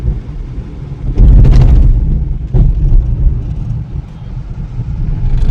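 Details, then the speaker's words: Hyundai i10 road test in city with AC on after P0301/P0304 misfires and stalling, about 5–6 km driven: steady low drone rising and easing with traffic, no stumble or jerk; no stalling, no check light, running normally. "और गाड़ी भी बिल्कुल सही चल रही है। गाड़ी बंद नहीं हो रही।"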